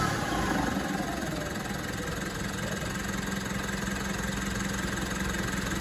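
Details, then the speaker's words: Mitsubishi MQ Triton Athlete diesel at idle after a popped boost pipe was fixed and hose clamps tightened: idle clatter with a faint steady whine on top; owner still suspects the turbo is cooked, possibly worn bearings. "Yeah, I still think the turbo's cooked, unfortunately. Yeah, I have a feeling the old girl's cooked."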